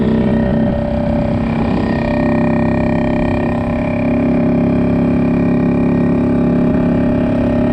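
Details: 1974 Yamaha RD60 two-stroke ridden after 8+ years unused: steady buzzing note holds one pitch and won't rev out, reaching only about 5000 rpm versus 10–11,000 expected; short of top-end power, carburetor suspected, carb cleaning planned.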